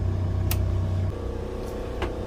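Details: New Fischer Panda genset in a Tiara 34 boat under load with both air conditioners and both battery chargers on: steady low drone that settles slightly lower as load comes on, then holds smooth and even; healthy.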